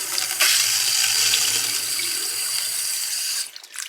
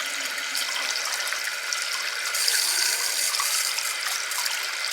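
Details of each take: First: Well water supply line (200-ft well, underground pump ~20 gal/min, feeds heater) with air getting in: choppy, sputtering hiss and spitting at the tap instead of smooth flow; air in the water line, owner suspected a leak under the house. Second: Well pump water system after finding and fixing a leak from a popped Harvard pop-off valve that let air into the lines, checked an hour later at a tap: steady strong water rush with no spitting or air; normal water flow.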